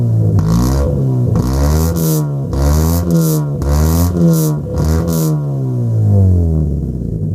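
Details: Mk4 Ford Fiesta with muffler delete: loud open exhaust revving up and down, drone breaking into rough crackly bursts on each rev; engine misfiring.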